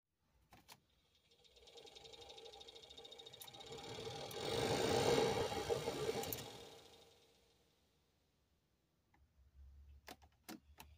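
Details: Toyota Corolla cabin AC/heater blower fan whirring up and back down with a steady clicking tick on it, from a bad blower motor bearing.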